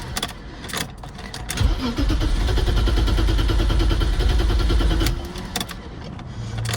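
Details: 1990 BMW 535i E34 inline-six, long-stored, first start attempt on jump-pack power with the fuel pump heard priming. The starter cranks steadily for about three seconds, but the engine never catches. Crank, no start, with no fuel delivery.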